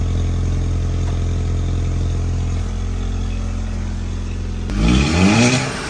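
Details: 2012 VW Golf GTI Mk6 turbo four, after installing catted downpipe: smooth steady low idle, even and settled, then a short rise in revs; owner says it sounds good, normal idle.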